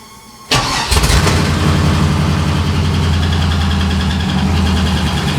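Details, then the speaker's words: 6.0L LS-swapped S10 with fuel system clogged by rust from the gas tank: V8 cranks, catches and settles into a lumpy, uneven, stumbling idle; sticking injectors misfiring, though sounding a little better. "those injectors were sticking pretty bad but it sounds a little bit better"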